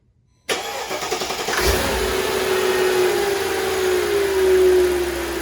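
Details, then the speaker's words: 2004 Mercedes-Benz G500 W463 V8 after valve cover gaskets, spark plugs and plug wires replaced, arcing wire reseated: cranks, catches, settles into smooth even idle, all cylinders firing, slight normal valve clicking. "okay oh that's way better all right it sounds good now it sounds like it's running on all cylinders"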